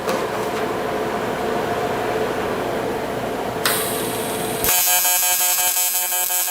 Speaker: like I say nothing fancy we're just going to it the buzzing that you hear that's uh that's welding in pulse mode